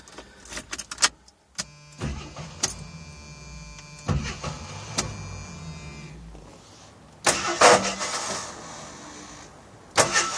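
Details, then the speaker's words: AMC Eagle that ran minutes earlier, owner wanting a timing light: repeated starter cranking bursts with no catch, quiet gaps between attempts; crank no start, cause not confirmed. "and now it won't start up I just keep it won't even like catch you can hear it catchin"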